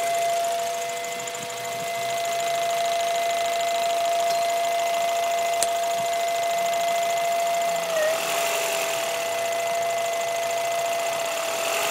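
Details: Acura Integra GSR idling with a steady mid-pitched hum from the breather tube running from the head into the intake tubing, caused by a bad PCV valve.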